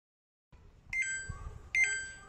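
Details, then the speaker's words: Samsung top-loader washing machine giving two identical high, clear beeps about a second apart, its IE/OE error alert, which persists even with the pressure switch connected; faulty PC board (motherboard) suspected. "the pressure switch is connected but you can still hear that beeping sound uh the pc board is still making that same error i e o e"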